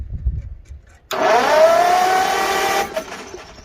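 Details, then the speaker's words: 1955 Farmall 300 row crop after sitting 14 years, fresh oil and filter, battery with poor terminal: starter spins the engine freely for about two seconds with a rising, even note, no firing; turns over normally. "she spins that's a even better start"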